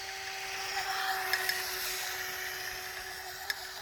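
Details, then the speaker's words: Pro Boat Jet Jam RC jet boat, upgraded from brushed to brushless motor: steady high motor whine with hissy spray as the jet sucks air and cavitates, impeller spins free and propulsion is lost; letting off and reapplying throttle clears it. "what's going on is it's starting to suck air cavitating and then it loses all propulsion and the motors your sister spinning the impeller so I basically just got to let off the throttle and throttle back up again and takes care of that"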